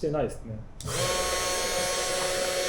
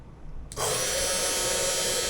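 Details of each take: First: Budget CNC milling machine spindle, apparently fixed at 12000 rpm; after sounding bad earlier, it now holds a clean, steady whine at constant speed for about nine seconds with no rattle, then spins down smoothly. Normal running. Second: Cheap Amazon desktop CNC mill spindle, apparently fixed at 12,000 rpm, spun up: a steady, high, hissy whine with a sharp tonal edge. The owner worries it sounds bad; the cause is not confirmed. Abnormal spindle noise.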